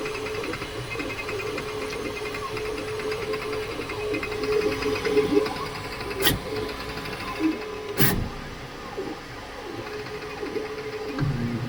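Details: Creality K2 Plus 3D printer, about a week of use, firmware updated 2025-05-01, printing unusually slowly (owner unsure if print setting is why): steady mid-pitched hum with busy, regular chatter from the moving head; owner thinks it sounds different, cause unknown.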